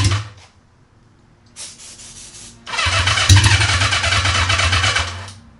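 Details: Honda CB550 without muffler, on starter fluid with half-dead battery and makeshift wiring: brief cranking, then it catches and runs loud and raspy for a few seconds; a clean, easy start.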